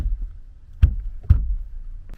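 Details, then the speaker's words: Kia K9 interior after rattle-removal work on center monitor, gearbox console and rear seats: two firm dull fist thumps on trim with no buzz or rattle after, confirming the panels are now secure. "소리가 안 나죠 꽉꽉 눌러도 꽉꽉 눌러도 안 나고 현재 이쪽도 마찬가지예요"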